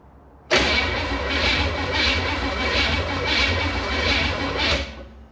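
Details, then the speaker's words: 1967 Chevy Impala with a 283 from a 1965 Chevelle that sat 40 years, cranked with the distributor off to pump oil: steady starter cranking about two pulses a second, no firing. Cranking without ignition. "had the distributor off. I'm gonna turn it on now."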